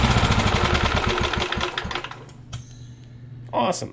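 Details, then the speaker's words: Vintage inherited walk-behind lawn mower, small single-cylinder engine, test-started with parts off after sputtering tries: quick, fairly even firing beat for about two seconds, then fades out; runs normally. "she runs I knew she would"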